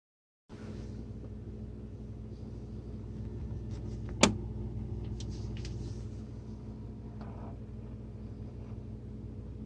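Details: Whirlpool WSF26C3EXF01 fridge: a sharp pop from the top over a low steady hum, recurring about every 12 seconds day and night whether the compressor is on or off; fixed by replacing the faulty damper control diffuser.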